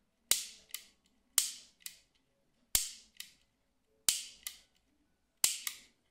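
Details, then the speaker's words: A.P.S. Silver Edge Extreme airsoft AEG gearbox in semi-auto: sharp double clicks, loud snap then lighter tick, about every 1.3 s per trigger pull; no clicking in full auto, trigger hard to press; owner later suspects improperly changed fire selector. "can you hear this this clicking sound which is really interesting basically in full auto there is no clicking sound"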